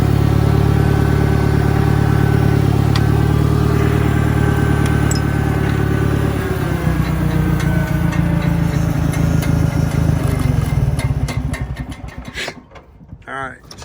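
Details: 1963 John Deere 1010, original and properly maintained, needing valve seals, with a Stanley muffler, in reverse on a backyard lap: a steady low tractor drone with a faint, even gear hum, no knocking or grinding; normal, healthy gearbox noise.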